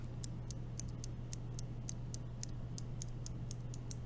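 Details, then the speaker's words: Green clicky switches (Gatistotles) with 80 g springs in an LJD61up carbon fiber keyboard rebuild: sharp, crisp clicks about three a second, each clean and consistent over a faint hum, so the switches click properly. "They are very tactile, very clicky. Love it. That is a great sounding click."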